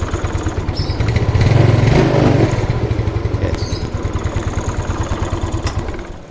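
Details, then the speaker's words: Old Yamaha Mio scooter with a hard-starting history (won't start on cold mornings, only runs smoothly once warm), after valve clearance set correctly: fires immediately on the starter, revs briefly, then drops into a steady, even single-cylinder idle; normal start. "Ketika setting klep dapat yang pas settingannya, nah pasti begini."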